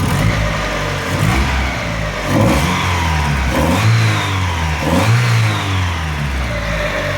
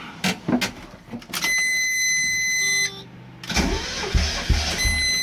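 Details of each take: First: 1.6 Mazda Miata, warmed up after cleaning hydraulic lifters, timing belt work and resetting base timing: idles and revs cleanly in short blips, only a light injector tick, no lifter tap, revving smoother. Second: Mazda Miata 1.6 after hydraulic lifter cleaning and timing belt reinstall, with cam gears held by zip ties: starter cranks in uneven bursts with a steady electronic tone between, engine never catches; cam timing slipped out, whole engine needed retiming.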